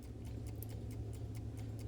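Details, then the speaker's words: Vintage Coca-Cola electric clock after replacement rewind motor fitted and wires resoldered: crisp steady ticks a few per second over faint low hum. Normal clock ticking. "I have now got the wires soldered back on their correct terminals on the replacement motor and it's ticking now"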